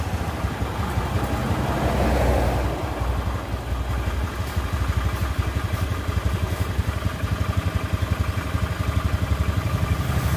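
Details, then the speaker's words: Honda Scoopy carburetor scooter after rebuild with new piston rings and cleaned, lapped valves; even, regular putter at low idle, no ticking, knocking or rattle; smooth and clean; starter weak due to weakening battery. "Guys sudah selesai perakitan mesin Honda Scoopy karburator ya alhamdulillah suaranya sudah halus dan bersih"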